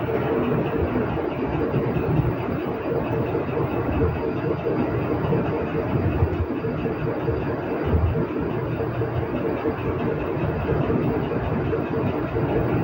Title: Any idea what causes motor with loud noise and error code E-02 on treadmill?